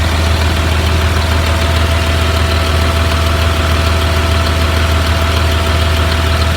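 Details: 2004 Blue Bird All American 72-passenger school bus at idle: steady, even low rumble with a smooth beat, no knocks or misses; healthy engine idling properly, automatic transmission engages.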